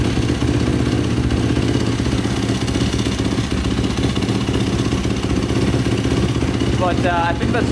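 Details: 2005 Yamaha YFZ450 ATV with a 98 mm big bore, start after rebuild. Even single-cylinder fast idle with no misses or knocks and no stalling. Exhaust pipe starting to turn red, which the owner is unsure is normal. Normal steady running.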